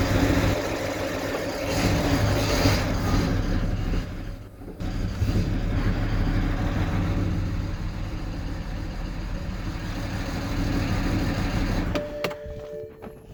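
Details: Engine catches and runs with an uneven, lumpy beat and a stumble partway through before settling; injectors said to be bad, rough running.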